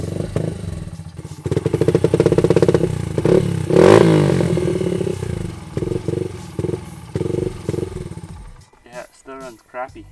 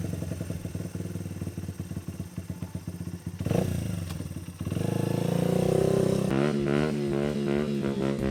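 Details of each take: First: Honda XR80 dirt bike that sat for months with old gas, with an aftermarket BBR exhaust; carburetor fully rebuilt and cleaned with no plugged jets. It still revs unevenly, stumbling and surging between blips: rough running. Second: Honda XR80 dirt bike after a carburetor rebuild, with the needle clip raised one notch to lean out a rich midrange hesitation. Crisp idle and clean throttle blips with no stumble: normal running.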